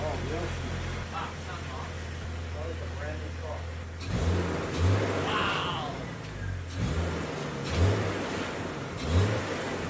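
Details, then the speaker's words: Jeep TJ 4.0 liter, first start after tune-up with new distributor cap, rotor, plugs and Blue Streak wires: catches and hums steadily, then quick throttle blips rising and falling cleanly; healthy and responsive. "now that the battery and air filter are back on we can hear the jeep start for the first time after our little tune-up"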